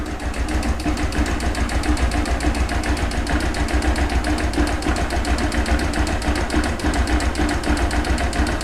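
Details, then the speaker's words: Honda CG 160 motorcycle, noisy since new despite service, oil changes and valve adjustment, cold start, won't stay running: quick light tapping three or four per second over idle, owner suspects valves; gone when hot; engine ticking at cold idle. "ela não fica ligada e ela ainda assim tá fazendo esse barulho no motor um barulho de válvula"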